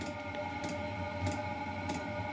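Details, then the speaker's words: Diesel parking heater on first bench test before installation, fed from a gallon of diesel: sharp ticks about every 0.6 seconds over a faint hum as the fuel pump starts during heater startup; normal dosing pump ticking. "I did run into one thing. Oh, the fuel pump just started"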